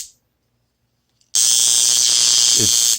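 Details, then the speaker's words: Steam boiler water feeder solenoid with a 24 V AC coil made by Eaton: harsh, steady buzz lasting about 1.5 seconds while the plunger sits at a critical distance, with the spring pushing back against the AC magnetic pull. "draws the piston up and you can also hear the buzzing if you bring it down low you get the buzzing goes away but if you're at a certain critical uh distance there's the buzzing what's happening is that as this draws up the spring is compressed and pushes back down and also this is a alternating current"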